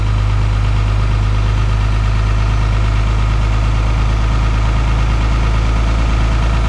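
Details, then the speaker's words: VP44 Cummins diesel on a cold start at -25 in B.C., Canada: a loud, steady clatter at a raised, even idle with no stumble; the normal three-cylinder cold high idle, with EGTs near 600. "That's that three-cylinder high idle. We're sitting at just about 600 EGTs right now."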